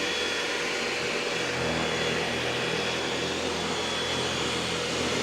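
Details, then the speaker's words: EcoVacs Deebot X9 Pro Omni robot vacuum switching to carpet boost on a loose carpet: louder, steady high-pitched rushing whine without break or wobble; suction motor running hard at carpet boost setting. "See how that's a bit louder? And so the vacuum is going stronger now for the carpet."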